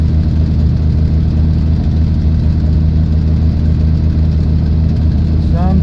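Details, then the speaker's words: 1979 Jeep CJ5, AMC 258 inline six, just brought home, only runs on full choke: loud, lumpy, uneven rough idle, suspected poor carburetion needing carburetor cleaning; improves slightly. "but that could be because the poor carburetion oh there we go a little bit better"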